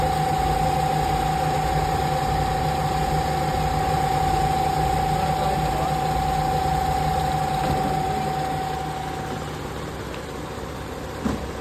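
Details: Carbureted Nissan B13 GA13 after a crank-only, no-start, no-spark fault, radiator fan wiring repaired back to the automatic switch instead of direct ignition feed: even, steady idle with a constant high tone over it, no knocks or stumbles, warming up.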